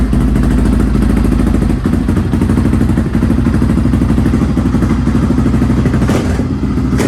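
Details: Restored Honda XR650R single-cylinder dirt bike, first run after years unused, started in a cold workshop after heating the inlet manifold (kill switch not working): loud, low steady thump, no knocking or clatter, healthy; tiny oil and water leaks noted.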